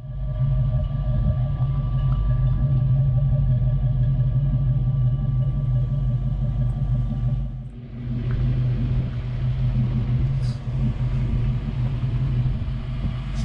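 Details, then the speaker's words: 1993 Ford Mustang Foxbody coupe 5.0 V8 with Flowmaster mufflers, possibly an off-road H-pipe: a deep, steady burble at idle with an even low throb and no ticks or rattles. This is a healthy V8 exhaust note. "exhaust sounds really good um i don't know if it's an off-road h-pipe or the guy did work for a muffler shop so you might have something up but there are flowmasters on here you can hear hear them turn"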